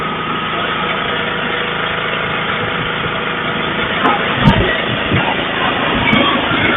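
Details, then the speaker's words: Snowblower single-cylinder engine stored 4 years in a shed with the fuel shut off and stabilized gas, fired on the first pull; it holds a steady, even beat at full throttle off choke with no surging or misses, smooth and normal. "Wow, I am super impressed. Guys, I am super impressed about how this fired up on the first pull after sitting for 4 years in that shed."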